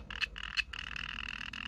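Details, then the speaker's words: TPMS sensor triggered with a TPMS learning tool, heard through a Flipper Zero at 315 MHz: two short raspy chirps then a steady buzzing chirp train; sensor transmitting normally. "right those chirps you're hearing are coming from the T TPMS sensor itself"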